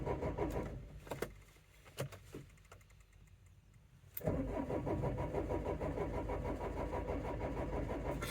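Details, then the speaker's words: 2004 Renault Trafic 1.9 dCi diesel, crank-no-start fault (code DF195): a few clicks, then the starter turns it over evenly at about three compression beats a second on a battery that sounds a little weak, but it never fires. "okay so we're definitely cranking and not starting there so we will get a scan tool plugged in"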